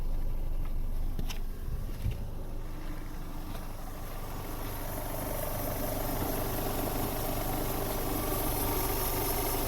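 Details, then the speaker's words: High-mileage Opel Vectra C petrol engine (also runs on LPG) idling after switching to petrol: steady, even low hum with no knocks or misfires; judged to run exemplary for its mileage. "nacisnąłem ścież uważam że jak na ten przebieg A w ogóle jak na nawet trzy razy mniejszy ten silnik pracuje wzorowo"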